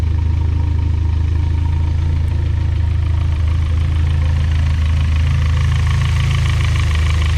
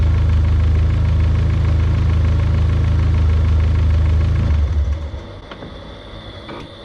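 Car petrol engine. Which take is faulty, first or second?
first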